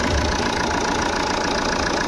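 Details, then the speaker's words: Jeep Compass diesel idling after alternator pulley replacement: steady diesel clatter with nothing on top, no chirp, squeal or rattle from the front accessories; the earlier grinding is gone. "य देख सकते जो हमारा आवाज आ रहा था पहले वो चला गया है और गाड़ी हमारी साइलेंट हो गई"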